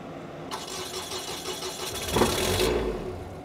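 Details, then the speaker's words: Abandoned RV engine, fuel pump primed first, starter previously freed by hammer after it kept popping the breaker: starter churns about two seconds, engine catches into low steady rumble; starts well. "but hey your engine starts pretty decent I mean when it starts great"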